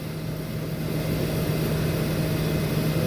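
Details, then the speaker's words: Walk-in cooler condensing unit running normally after the thermostat, found bumped or moved up to 50°F and causing pump-down, was reset to 36°F; even low hum near 150 Hz with smooth steady compressor and fan rush, no knocks or rattles. "i adjusted it back down to 36 and we are up and running again"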